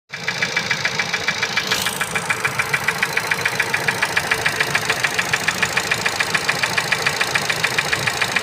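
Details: Ford Focus Mk3 (stated "1.125 hp") engine at idle: sharp, regular metallic ticking about three to four times a second over steady idle; engine knock, source unknown.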